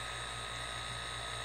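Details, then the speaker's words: DIY silent air compressor, check valve modified by removing its snap ring, running: virtually silent steady hum, slight constant buzz from the check valve, air rushing audible more than the motor, no knocks; running properly. "that's what it sounds like virtually silent you still hear maybe a slight little buzz again it's still that check valve there's no way around that"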